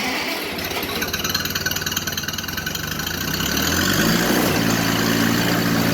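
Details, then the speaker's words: 1980 International 184 Loboy tractor, recently acquired, started after ignition switch and wiring repair; steady even firing at relaxed idle about three beats per second, no knocks or misses, normal idle. "Yeah, it's still on. But, oh, runs good, huh?"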